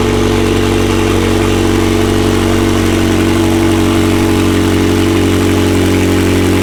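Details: McLaren 720S engine after repair of Time Attack oil-overheating failure, idling after cold start: steady even idle, smooth low drone, no knocks, ticks or hunting; stable oil pressure at idle; normal idle.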